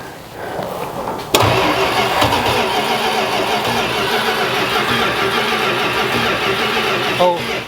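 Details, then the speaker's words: 1970 Dodge Coronet 500 with a 383 big block, first start attempt in about 20 years after a fuel line leak was fixed, key on. Starter cranks evenly for about six seconds with no fire or catch; crank no start, cause unconfirmed. "got the key on in the on position I don't think we're getting any fire"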